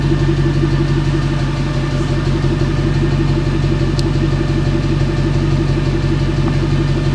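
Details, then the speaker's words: Nissan Micra 1.0 automatic jump-started from a boost pack with a completely dead battery, showing error messages and a suspected wheel speed sensor fault: steady, smooth normal idle with no knocks or misses. "So literally that boost pack is the only power that started this car up then, because like I said, the battery is completely knackered on it. But it's running."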